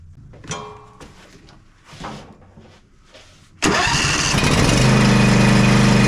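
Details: John Deere Z335E zero-turn with Briggs & Stratton V-twin, after wiring harness replacement and valve adjustment: quiet clicks, then it catches instantly into a smooth, even idle. Normal running.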